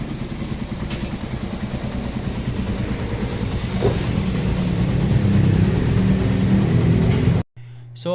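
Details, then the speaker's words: Motorcycle engine (single-cylinder) after repair for a noisy engine: new timing chain and guides fitted, original tensioner reset and reused; now steady even idle, no ticking, chain rattle or misfire; normal idle. "okay na yung motor niya wala ng ingay ah maayos na yung Menor at hindi na siya palyado"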